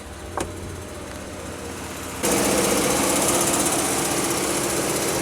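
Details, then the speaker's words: 2003 Pontiac Grand Am GT engine running with coolant leak: harsh rapid rattle about three beats a second over the engine; owner guesses the AC compressor, water pump play also suspected, source unconfirmed. "turn the ac off and i guess it's the compressor that's rattling"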